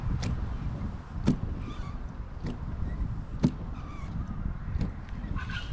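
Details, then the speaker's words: Car windscreen wipers on a dry screen, which normally causes bad shudder, after coconut oil on the blades and polish on the glass: even sweeps, soft tap at each reversal about once a second, no judder; smooth wiper operation. "you haven't got any of that shuttering at all and that's even with the windscreen being dry which would normally bring the shutter on really bad but you can see there that it's really smooth"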